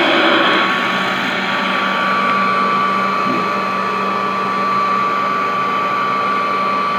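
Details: Vintage Royal 153 vacuum, freshly oiled, run with belt disconnected to let oil reach the bushings: smooth, steady high-pitched whir, no rubbing or grinding; motor spinning freely and healthy.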